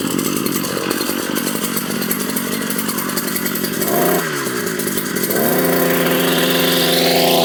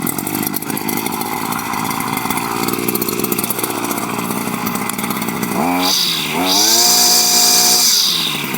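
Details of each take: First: Brush/weed cutter two-stroke after repair work (clutch/liner, air filter, greasing), running after reassembly; high-pitched buzz steady, dips briefly, then revs up cleanly; machine ready, no trouble now, only slight tuning adjustment needed. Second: Two-stroke weed/brush cutter whose head won't engage or turn under heavy weeds; steady buzz, then revs climb sharply and hold high while the head fails to bite, the worn clutch slipping. Needs a couple of primer pumps to start.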